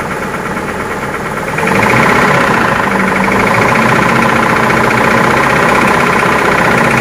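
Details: Toyota Prado with 2TR-FE 2.7L engine: it settles into a louder, busier run after about 1.5 seconds, with a steady, bad-sounding knock of about four per second underneath.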